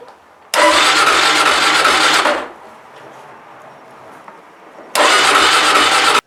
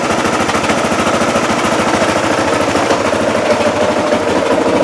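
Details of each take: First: Motorcycle stored in owner's hometown, just purchased, cold day at about -15; starter cranks in two bursts of a couple of seconds but engine never catches, cold no-start; later found to be frozen up. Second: Motorcycle that wouldn't start, found frozen up, fairings and plastics removed; now crisp regular single-cylinder popping at steady quick idle, no misses or knocks, running cleanly.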